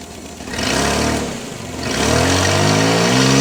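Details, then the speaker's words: Nissan Z31 engine, not yet fully warm, runs much better after the coil wire was put back on during coolant pressure and compression leak testing; two clean throttle blips, pitch climbs smoothly without stumbling; normal running. "okay now it runs a lot better"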